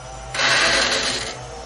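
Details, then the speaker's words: Honda Scoopy scooter that won't start: high, free-spinning starter whir for about a second with no engine turnover; starter spins but its drive gear doesn't engage the starter gear, the mechanism appearing seized. "Kita bisa mendengar motor starter berputar, tapi"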